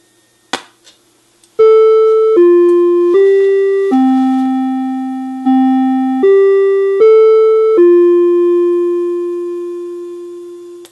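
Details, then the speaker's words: NuTone IM4006/IMA4006 intercom master station, after repair of common age-related component failures (hum turning to buzz): clear, evenly struck ding-dong chime tones fading cleanly with no buzz; doorbell chime works normally. "sounds exactly as it should so it's a successful repair"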